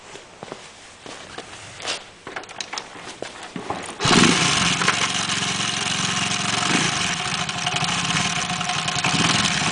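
Engine catches and idles with a fast, uneven tapping of about four per second over the exhaust; something abnormal, cause unclear.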